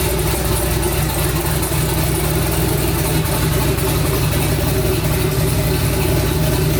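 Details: Twin-turbo 5.3 V8 New Edge Mustang, first start of new build, tune learning, fan set at 180: loud, steady lumpy idle with no knocks or misses; normal healthy idle.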